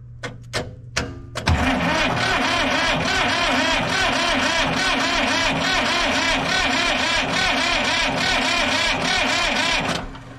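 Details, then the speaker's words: Diesel vibratory roller compactor, sitting 30 years, new starter bumped via jumper wire: even cranking about three turns a second for about eight seconds, faster than the old starter but not super fast; more muffler smoke, showing compression. "definitely better definitely better all right well it turns over uh it's definitely faster than it was before but still not super fast"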